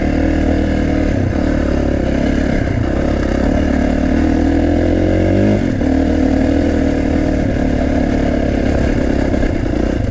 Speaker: One thing about this Kawasaki is it has loud valves. It almost sounds like an exhaust leak, but I know it isn't. The valves are just kind of noisy.